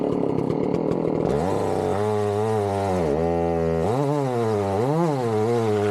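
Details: Chainsaw started cold for tree felling: a sharp two-stroke crackle catches after a pull and settles, then revs rise and dip cleanly through cuts. Normal running, healthy, eager saw.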